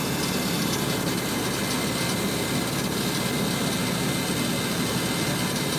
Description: Rattle sound when A/C is on.